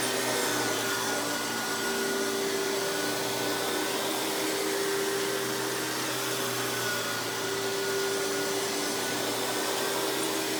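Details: Hoover PowerMax Supreme 850 S3609 canister vacuum, 1990s, non-original hose, on high speed with power brush: steady, even motor roar with constant hum and smooth brush drone, no rattles or surging; runs very smooth, not the quietest; normal running.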